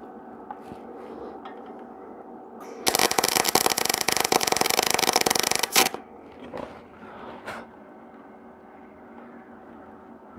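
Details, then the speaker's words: Welding a repair on a sawmill log-turning arm stop: loud harsh crackling sizzle for about three seconds, then stops; arc running a little too hot, welder current needs backing down. "it's a little too hot back it down a tiny bit more that's a sound I'm looking for"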